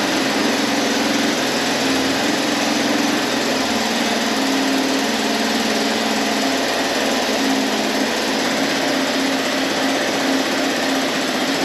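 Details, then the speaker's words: Abandoned 1983 Honda Big Red three-wheeler, carb cleaned, first start with the choke held closed in neutral: a loud, flat, strained single-cylinder drone with little pulse and no smoke. It sounds choked, and the exhaust or muffler seems plugged. "all right I think this exhaust is pluged hard the anything coming out and it just doesn't sound right"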